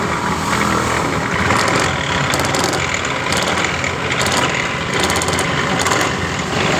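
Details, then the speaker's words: 2015 Honda Beat Pop scooter: coarse, rattly roar from the engine when the throttle is opened, instead of a smooth whir, felt through the engine; worn CVT variator rollers and damaged roller housing. "ketika kita tarik tuas gas motor ini suara kasar dan ketika kita tarik tu tuas gas eh terasa di bagian mesin ini terasa"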